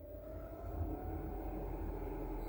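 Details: Newer Chinese diesel heater on first trial run since about April, not yet fastened down, old exhaust still fitted, just switched on: smooth low whir with steady mid tone as the blower comes up to speed; normal startup.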